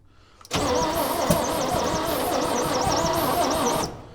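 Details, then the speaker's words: 1965 Chevy rollback truck engine with rusted cylinders, pistons and valves, after starting fluid evaporated: about three seconds steady cranking with a couple of sharp exhaust pops, never catches; battery and starter probably getting tired. "that's more than we've got out of it so far. It farted a couple >> farted a couple times out the exhaust."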